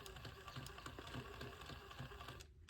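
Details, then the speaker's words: Axial SCX10 Pro RC crawler, driveshafts loosened, clicking persists; quiet motor whir with light uneven clicks; owner suspects transmission, driveshafts possibly installed backwards, not confirmed; drivetrain clicking. "It sounds like that clicking noise is coming from up in here. Maybe the transmission."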